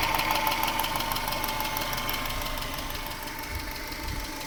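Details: 1996 Subaru Legacy Outback 2.2L EJ22E, 165k miles, idling: light regular ticking about three per second, equal on both sides, present cold or hot and faster with revs. It began around the last oil change, which used a different filter. Cause unconfirmed; owner wonders about injectors or valves.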